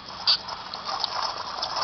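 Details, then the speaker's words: Removed wheel bearing from 200,000-mile Jeep Cherokee spun by hand: gritty uneven rattle like marbles in a can, worn wheel bearing grinding. "kind of sounds like marbles trapped in a can"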